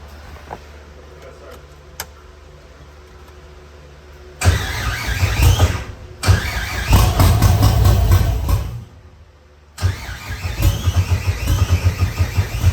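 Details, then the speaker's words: C5 Corvette drift build catches in short ragged bursts, each sagging and quitting after ground straps were refitted; starts briefly then dies, owners suspect out of gas and that it ran only on brake clean. "I bet you it's out of gas. I bet you that was brake clean. Nah, it probably was brake clean. That thing started up like a champ, though."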